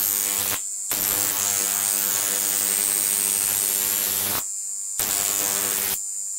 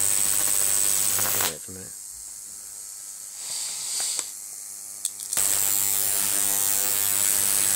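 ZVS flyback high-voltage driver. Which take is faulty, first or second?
second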